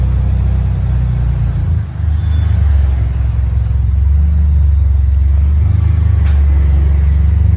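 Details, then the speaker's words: Peugeot 406 with a racing exhaust, revving: loud, deep, steady exhaust rumble holding even with a brief dip and no knocks or rattles; a healthy engine that is loud because of the free-flowing racing exhaust. "Ini knalpotnya racing ya, jadi suaranya kencang. Suara knalpot."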